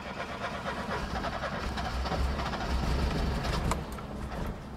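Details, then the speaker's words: Porsche brought back after decades: rebuilt Bosch fuel distributor, full tune-up, new fuel filters, fuel pump, cleaned tank, new distributor, plugs, wires, coil; genuine cold start, low uneven churning rumble cranking long without catching — prolonged hard cold start, later idles rough. "okay guys this is a genuine cold start so we're gonna see what happens here we go"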